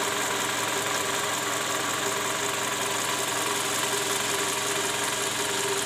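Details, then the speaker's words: Toyota Camry with 2JZ engine, rough-running complaint, heard from underneath at idle: rough, clattery running with a hard knock loudest at the oil pan; worn, scored balancer shaft and bearing, likely from improper installation with under-torqued bolts. "nah disini terdengar bunyi keras terutama di bagian Karter oli mesin"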